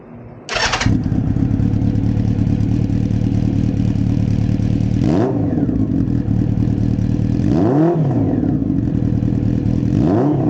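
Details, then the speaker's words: 1992 Honda Nighthawk four-cylinder after swap from factory exhaust to Delcavic 4-into-1 with baffle in, coils refitted, low on gas: starts cleanly, idles evenly, three crisp blips with mellow not-too-loud note; normal. "Alright, so that's the exhaust with the baffle still in it. I think I'm going to leave the baffle in it. I like the way it sounds. It's not over loud, but has a nice sound to it."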